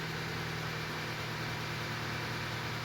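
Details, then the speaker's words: Hyundai Tucson after head gasket work with new head bolts, second start: quiet, even idle hum with no stumble or misfire, and the check engine light has not returned. Normal idle. "Start it right up this time and no misfires at all. And you can see our check engine light did not come back right away. That's good. It actually feels like it's running pretty smooth."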